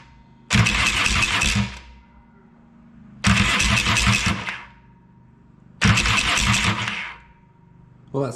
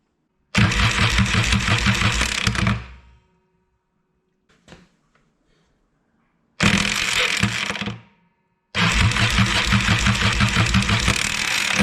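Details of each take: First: Yamaha XS650 after grinding-starter fix (starter gears behind clutch refitted with washer and circlip; weak friction clip suspected): three short even cranking bursts, smooth whirr without grinding or clashing; starter engages cleanly. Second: Yamaha XS650 with side cover and clutch removed, cranking: three bursts of harsh, raspy starter cranking with gear clatter as the starter pinion moves in and out, nearly letting go, suspected weak friction clip; grinding starter.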